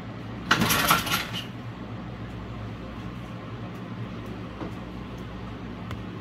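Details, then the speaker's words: Honda 5 hp four-stroke outboard after carburetor cleaning and spark plug gapping, previously needing about 10 pulls: a short clattery burst as it catches, then a steady idle without stumbling; a normal start and idle. "much better than before before it's like 10 4 i guess that's why it takes quite a while"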